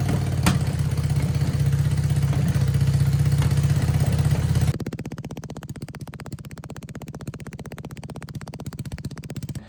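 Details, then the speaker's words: 1978 Honda CB400A Hondamatic 400, revived after 10+ years outdoors, after carburetor rebuild: steady, even low idle, regular exhaust pulses around four per second, no misses or knocks; normal idle. "I feel pretty freaking accomplished. We got this thing scooting. Well, it's running. It ain't scooting yet."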